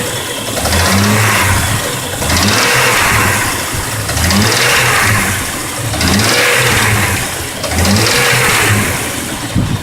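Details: Jeep Grand Cherokee WJ 4.0 engine running, heard from the engine bay: a loose clacking over revs rising and falling about every two seconds. Source unknown. Engine clacking noise.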